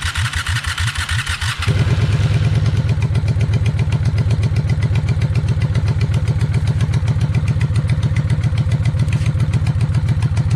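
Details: 1995 Honda Shadow VLX 600 V-twin, carbs previously cleaned, idle screw being adjusted during rebuild: lumpy, uneven, loping idle at about four beats a second after a jump in revs; poor idle.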